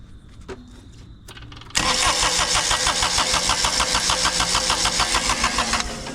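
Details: Kubota tractor diesel: quiet, then catches at once and settles into a steady, even idle with a clean regular beat; healthy start, starter good after all.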